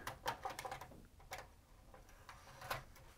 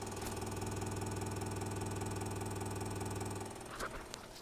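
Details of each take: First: Sony MiniDisc deck after transformer swap, first power-up: quiet light clicks and whirs as the disc is drawn in and the head seeks; disc reads and plays fine through headphones. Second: Sony MDS-JE320 MiniDisc deck, bought listed as possibly having drive issues, on power-up: a coarse buzz pulsing about four times a second, then clicks, indicating a drive mechanism problem.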